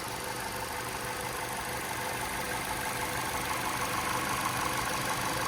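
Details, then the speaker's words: 2012 Ford Fusion SEL, running, heard at the engine compartment: even smooth idle with steady soft pulse, no knocks, ticks, misses or vibrations; normal idle, struts recently replaced. "Engine runs nice and smooth, no odd noises or vibrations."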